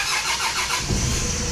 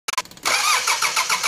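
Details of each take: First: 4D56 diesel after retightening the loosened fuel lines: a brief crank that catches straight away and settles into an even diesel run; starts cleanly and runs normally. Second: 4D56 diesel cranking without starting because the power terminal to the fuel shutoff solenoid was deliberately disconnected: steady starter churn about four strokes a second for six seconds, never fires; no fuel delivered.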